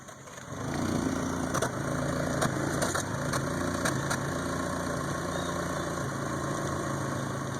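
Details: 1992 Toyota Camry 4-cylinder with rebuilt engine: uneven, stumbling idle with dropped firing pulses that worsens until it dies; misfire.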